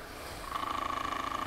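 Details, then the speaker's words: Broan-Nutone 684-D/2684F-A bathroom exhaust fan motor, cleaned and run off its bracket. It spins up into a steady high whine with a fast, wavering pulse and is still noisy. Play is probably worn into the motor shaft, so the motor needs replacing. "noisy okay that's indicating to me that there's a problem in the motor and it's probably all this play just worn into the shaft"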